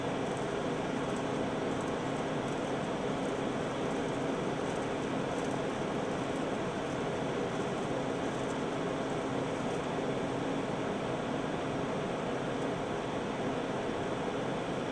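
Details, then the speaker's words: Cipher front-loading 9-track reel-to-reel tape drive: constant whirring hum of reels shuttling tape back and forth without ever spooling, then an error and tape won't release; caused by gummed, stuck encoder bearing on the take-up arm. "It still hasn't spooled it yet. It's just spinning that tape back and forth, but doing nothing. Oh, and it's giving me an error."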